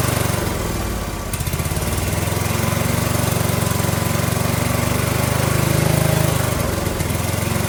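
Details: Briggs & Stratton 18 HP Vanguard engine revival with the muffler refitted and fuel on: it catches on choke and settles into a steady, even, lumpy beat with a deep, solid exhaust note, no blowing or rattle, running normally.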